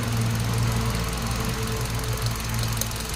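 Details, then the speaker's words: 2017 Hyundai Accent after repairing ECU and replacing coil harness: lifting one ignition coil makes idle lumpy with strong irregular shaking as that cylinder drops out; connected, no vibration. "ng tunog oh nawala yan tapos mo yung vibrate ang lakas oh ba yan yung wala kayo mga boss na na ano ni sir so problema niya palyado no"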